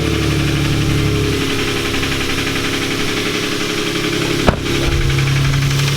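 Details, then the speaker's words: Lexus IS300 engine started after refilling with 10W-40 oil: rough idle with an uneven deep knocking tap a few times a second from startup; owner suspects rod knock, unconfirmed. "Damn it! That's bad. That's most likely a rod knock noise."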